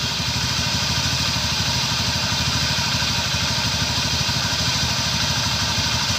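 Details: Honda Scoopy scooter, pulley/CVT cover removed and engine run to find a rough buzzing noise; steady idle with coarse, gritty buzz and fast rattle. Worn crankshaft bearing, requiring full engine teardown and bearing replacement.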